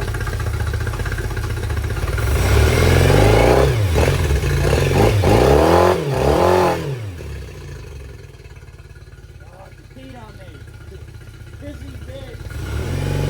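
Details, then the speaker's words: Yamaha T50TLRD 50HP outboard, after head machining and new head gasket restored compression: revs up and drops back with uneven stumbling beat, one cylinder missing; owner suspects dirty injector or still sleeping on a cylinder. "all right guys well she's back to running seems to have a little bit of a miss or Uh something's acting up with her"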